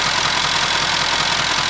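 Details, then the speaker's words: Jaguar XK at idle after its fuel injectors were replaced: even, steady idle with a smooth hiss and no knocks, ticks or misses; sounds healthy, though it still smells rich and fuel trims show rich, suspected from petrol in the oil venting through the PCV valve. "I'll listen to it. This sounds absolutely fine. Absolutely sweet."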